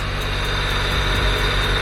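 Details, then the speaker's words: Honda del Sol at idle after a new carbon fibre intake, new spark plugs and an oil change: steady, clean idle with a loud intake hiss and rumble, much louder than the previous intake; normal idle. "dude what that intake is actually way louder than the one that we had before like absolutely crazy crazy"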